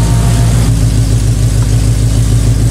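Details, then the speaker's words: 2011 Mustang GT 5.0 V8 at idle just after a new exhaust was fitted and welded. A deep, even burble, smooth and mellow with no misses or ticks, and much more mellow than before; the tune may be running it slightly cold. "Well guys, that is a lot more mellow than it was."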